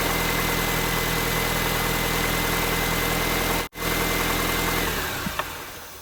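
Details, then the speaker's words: 2006 R53 Mini Cooper S, manual: an even idle carries a faint, thin high whine until shutoff; the owner suspects a pulley, but the accessory-drive noise source is unconfirmed. "i'm gonna go ahead and start it up and let you guys hear that noise that it's making i think it might be a pulley"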